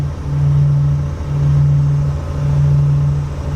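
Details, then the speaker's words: Vintage Allegro RV engine held at about 2,900–3,000 rpm, highway cruising speed, during a winter start-up: smooth low drone swelling and easing slowly; the alternator belt squeal has stopped. "about 3000 earth about 2,900 rpm right about there that's where I can be running her on the highway believe it or not and as you can see here I'm trying to get refocused and you can hear that the alternator is stop squealing"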